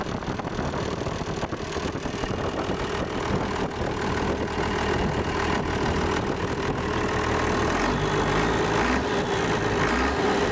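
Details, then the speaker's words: International DT466 diesel, first start in 8 years after freeing a stuck fuel shutoff; even diesel clatter at a settled idle, firing steady with no stumble or miss, idling well. "okay folks I'm sure that engine there is going to be just fine"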